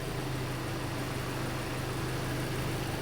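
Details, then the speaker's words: Hyundai Elantra after reconnecting the unplugged cylinder 3 injector connector (code P0267 misfire). Even low idle hum with no stumbles; idle is now smooth, no trouble codes remain and the oxygen sensor reads normal. "هذه مشكلة السيارة، بس في مشيولة خلاص. تلاحظون دحين السيارة صافية."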